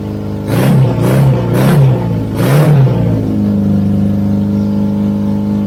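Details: 1983 Honda Goldwing GL1100, barn find with old gasoline, fresh gas and fuel filter added: four quick rev blips rising and falling, then a smooth, even idle with no knocks or misses; first run, engine healthy.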